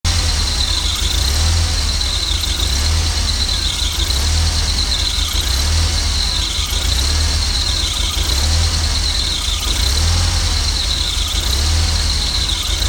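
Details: Jeep 2.5 with very low idle that sometimes dies when stopping: steady high squeal over a low, uneven idle, wavering about every second and a half; owner suspects a vacuum leak, not confirmed.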